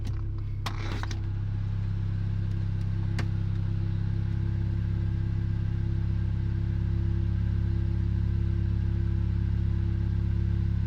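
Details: Car that jerks under acceleration and load: deep idle drone with a slightly uneven throb, about 220 pulses a minute and not quite steady; a stumbling misfire at idle.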